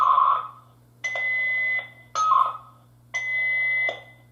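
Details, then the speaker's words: Interlogix NX-8v2 alarm panel dialer, programmed for 8 attempts, retrying after the phone line lost signal and showed as in use: short bursts alternate with a steady high tone about every two seconds and it never connects; repeated failed dialing. "But in a few moments, it's going to try to attempt to dial again. And the messages should pop up. Oh, and that says the line is now in use."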